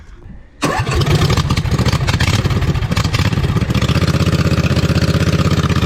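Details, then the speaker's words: 2007 John Deere Z425 zero-turn with replacement Briggs & Stratton engine (44S977-0032-G1), fresh oil, first start before muffler fitted: catches quickly, loud even open-exhaust chug about four beats a second; healthy running, just unmuffled. "it's got gas in it now it's gonna be a little loud too because the muffler's not on yet"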